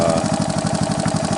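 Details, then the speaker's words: 1985 Honda ATC 125M after wrist-pin replacement and oil-jacket reseal fixed rod knock: even single-cylinder putter, about nine pulses a second, no knock; faint noise owner thinks is a slightly stretched timing chain; normal idle. "The noise that you hear now is completely normal, obviously, because there's nothing mechanically wrong."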